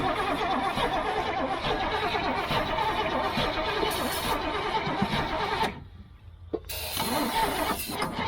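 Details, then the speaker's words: Old GMC gasoline bucket truck with a Holley carburettor, choke pulled out: steady cranking at about four turns per second, but it never catches. No fuel is reaching the carburettor, and the fuel filter is suspected clogged. "And no fuel in it. Yeah, there ain't no fuel in it for sure. So no fuel's coming up this."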